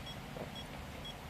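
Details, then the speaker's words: OKM Bionic X4 metal detector during calibration: short high-pitched beeps about twice a second warn that the calibration value (255) is too high; beeping stops when the value is low (81). Calibration too-high warning beep. "but as you can now here there is no more beeping when it is very high then you can hear the beeping"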